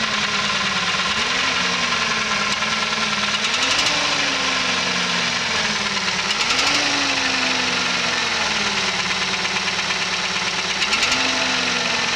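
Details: P5000 engine: steady running with a sharp metallic tapping on top and the pitch swelling every few seconds; a clear internal engine knock.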